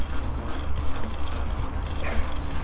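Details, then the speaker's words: Riding a used Mongoose XR Pro mountain bike bought cheaply off Craigslist in rough, trashed shape: irregular creaks and ratchety clicks over a low rolling rumble; something worn or loose, cause not pinned down. "that is the sound of a bad used purchase okay the bike is in pretty rough shape"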